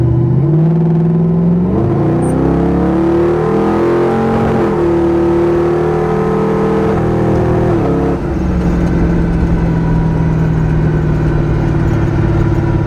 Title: misfires still present even without boost at high ign load